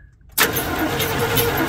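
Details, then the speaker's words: Chevy squarebody truck parked 19 years: starter spins the engine with a steady churning whir but it never fires, with new plug wires fitted and no fuel; no spark because the distributor was never plugged in, only its power wire. "Aaron excitedly I know what was wrong and he almost scared me when he did it but yeah we never plugged the distributor in we had the power wire in"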